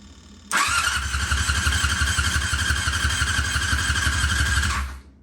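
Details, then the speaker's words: 1999 Yamaha R6 non-runner of unknown history, dropped, cracked frame; starter cranks at an even rhythmic chug, compression sounds decent, but it never fires; initial check suggests no spark. "So you can see it cranks over fine. It sounds like it's got pretty decent compression. Obviously it's not firing. I did briefly dig into this thing and it appears it doesn't have spark."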